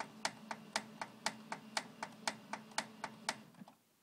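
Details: Xerox 6110 laser printer making sharp, regular clicks about twice a second over a low motor hum, while warming up and when printing; prints come out normal, cause unknown.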